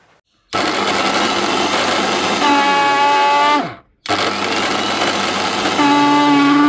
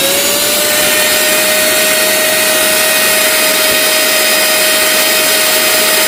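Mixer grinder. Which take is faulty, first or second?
first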